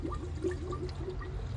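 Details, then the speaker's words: 5.7 Hemi coolant system being filled and bled via the reservoir: wet gurgling and bubbling over low engine hum as coolant pushes trapped air out. "you can hear the gurgling can hear it here it comes I can't see it but I can hear"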